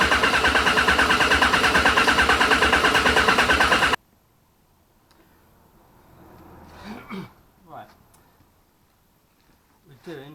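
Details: Yamaha XJR1200 motorcycle stood all winter with stale fuel, fresh fuel added, carburetor sync pending: steady, even cranking at about three turns a second that never catches before stopping; hard starting, cause suspected, not confirmed.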